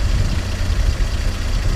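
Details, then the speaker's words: 1953 Chevrolet 3105 panel truck, original survivor with about 23,680 miles, inline six already warm, fires up in 2 seconds: low, smooth, even burble with no knocks or skips; normal warm idle. "It's already warm right now, but it just fires up in 2 seconds."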